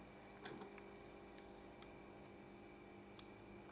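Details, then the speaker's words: Simple DC speaker protector circuit on the bench, built with a Darlington relay driver and a relay coil possibly only about 300-odd ohms instead of 600: quiet hum, then a single sharp click about three seconds after power-on; normal relay pull-in after delay. "And the relay went click, so there is a delay there."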